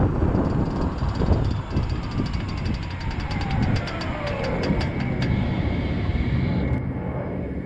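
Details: Toyota Prius Gen 4 slowing down: sharp regular clicking over road rumble, slowing from about seven to three per second with speed, apparently from the front driver's side wheel/axle. Cause not confirmed.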